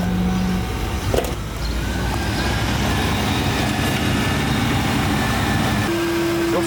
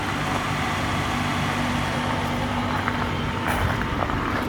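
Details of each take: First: 1992 Lincoln Town Car limousine, long abandoned then driven 800 km: rough idle with low droning buzz and hollow resonance as the whole intake vibrates; caused by a dirty idle air control valve, cleaning it fixed the noise. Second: 1992 Lincoln Town Car limousine, long abandoned, at idle after cleaning the idle air control valve: quiet steady even hum, no hiss or ticking, air-leak noise on acceleration gone; runs smoothly.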